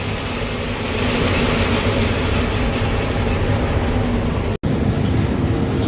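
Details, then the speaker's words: Combine draper drive run right after a new hydraulic pump was fitted with the old pump's fittings moved over. There is a leak still to fix, and speed was adjusted toward about 180. It gives a steady, even rumble and hum with no knock or whine. "Okay, we got a leak we got to fix, but it's running. Excellent."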